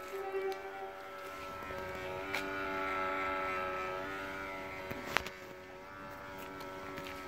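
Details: 2002 Smart Fortwo CDI diesel at idle: steady, thin whine with several fixed tones over a quiet idle, appearing when the dimmers are switched on; source not yet identified.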